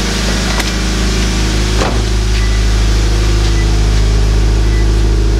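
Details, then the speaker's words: Subaru BRZ boxer engine at cold-start warm-up after new overpipe, front pipe and catback install and fixing a detached leaking flange: steady, slightly raised fast idle, even, no ticking or puffing, expected to calm down; normal cold-start fast idle. "this is the warm-up sound so the engine's revving a little higher than normal to do the warm up and you guys will hear it kind of calm down"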